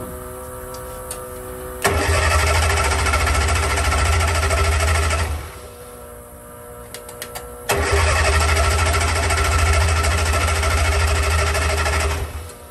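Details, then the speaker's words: 1963 Austin Healey Sprite 1098 with a Weber carburetor, unused almost a year, with starter fluid sprayed in. It catches, runs rough about three seconds and dies, then restarts and stalls again. The owner blames the Weber, which may need rebuilding. "well guys I'm not happy at all with the way that Weber carburetor is reacting and I'm gonna go ahead and pull it off it probably needs to be looked over possibly rebuilt"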